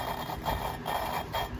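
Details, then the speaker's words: Engine valve being hand-lapped with grinding compound, rhythmic gritty scraping with each twist of the lapping tool; valve and seat not yet seated, grinding fades as lapping continues. "um and i'm just gonna stick the valve in but you hear how gritty it is"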